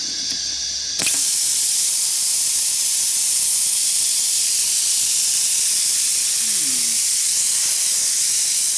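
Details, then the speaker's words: Plasma cutter just plugged back in: loud, steady high-pitched hiss of compressed air leaking from the soldered copper supply airline; owner suspects a tiny hole or heat-broken solder joint, unconfirmed. "okay so that's the airline little copper line it's all soldered in I don't know maybe it's got a hole in it a little tiny hole or something"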